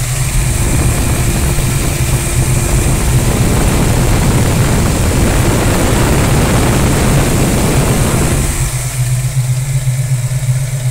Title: Mustang Foxbody Tapping Sound